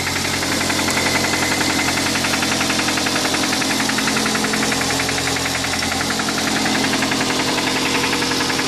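Loud, regular knocking about 160 times a minute over a steady idle, sharp and metallic, typical of a worn rod bearing.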